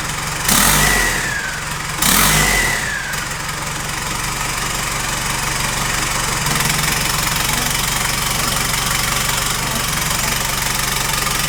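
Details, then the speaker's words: Nissan Patrol with swapped Isuzu 4JJ1 diesel, first runs after the swap, with a MAP sensor newly added in aluminium intercooler piping: two quick revs that drop back, then a settled, even diesel clatter at idle with no hunting; healthy idle. "I've just been sitting here looking at this thing for the past half an hour and I just can't believe that it's finally running"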